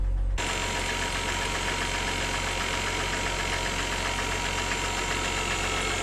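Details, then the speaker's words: 2007 Mercedes E350 4MATIC, sat abandoned, started on a jump pack: rapid metallic knock, roughly four per second, over the idle, with blue oil smoke; cause not confirmed. "As you can hear, the engine is knocking. So, I'm assuming this was the problem that made the previous owner give up on this car."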